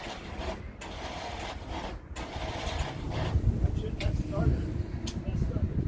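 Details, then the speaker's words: Briggs & Stratton V-twin on hot-rod tractor, battery at 12.4 V: starter whirs freely with light spinning sound but engine never turns; broken starter drive gear not engaging the flywheel, owner suspects it is stuck. "so if you listen it's just not in engaging the engine so I don't know maybe it's just stuck or something"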